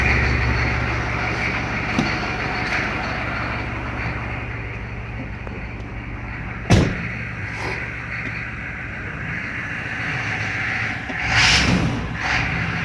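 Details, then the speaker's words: 1993 Chevy 2500 turbo 6.5 diesel after fitting a replacement DB2 injection pump, which replaced a faulty, smoky pump. Even, steady low idle throb with a few handling bangs nearby. Normal, healthy, strong-sounding idle. "Idle's a lot smoother, a lot healthier. Yeah, sounds real strong now."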